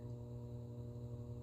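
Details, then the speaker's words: 45-year-old camper trailer, power on: steady low electrical hum with faint higher buzzing tones, unchanging throughout, from the converter/inverter; normal hum with power on. "I don't know if you guys can hear that, but some things are humming. We have this inverter."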